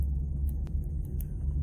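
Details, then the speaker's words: 2004 Ram 1500 Rumble Bee 2WD pickup rolling in gear after rear wheel bearing and seal replacement (torn seal had leaked fluid, bent parking brake plate), axle refilled with gear oil: low steady rumble, no clunk or rubbing; normal rear axle running. "Huh, doesn't make that clunky rubby noise."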